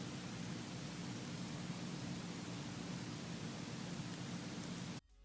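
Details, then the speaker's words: Apple iPhone (6s first in the test, compared with 4s, 5 and 6) recorded in a quiet room with volume boosted: steady white-noise processor hiss, normal for phones, stopping abruptly at the end. "cuz as you can see from this test, all the phones make the sound The 7, might sound a little louder than the 6s, but the main basis of this video was to show you guys that all phones make th"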